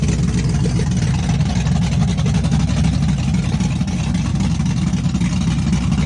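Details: Chevrolet S-10 with a big cam on open headers, cold start with Holley red electric fuel pump: loud, choppy, uneven rowdy idle with deep lopey pulses; cam exhaust lift 480/488, advertised duration about 297; normal lumpy cam idle.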